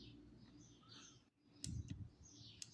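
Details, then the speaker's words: Redragon Kumara mechanical keyboard with blue switches, after adding cut EVA foam inside the keycaps to stop them bottoming out: only a few soft, muted clicks over a quiet room; keystroke noise greatly reduced. "dessa forma eu não vou atrapalhar o Switch de funcionar Oi e ele vai reduzir drasticamente o barulho"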